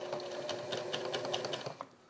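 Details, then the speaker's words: Sewing machine skipping stitches and catching in reverse, after bobbin was flipped: fast, even needle chatter about a dozen light clicks a second, then stops; the reverse catch is not clearly audible. "See, it's still catching when I go in reverse. You hear that difference in sound?"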